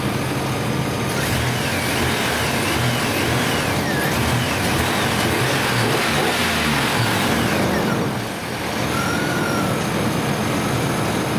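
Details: 1999 Chevrolet S10 4.3L V6 with distributor, after fixing the misfire: steady even idle, no missing pulse, some background squeak; all six cylinders firing, normal idle.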